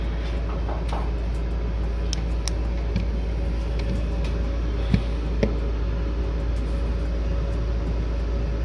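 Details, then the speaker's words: Mr. Heater Big Maxx 80,000 BTU natural-gas garage heater, after a hose connector was fitted to tighten over the fan to cure noise and vibration: a brief jerking noise at start, then a steady quiet low hum, normal fan running. "yeah sounds like it is working apart from that jerking noise in the beginning seems like it's working quietly nice a table fan"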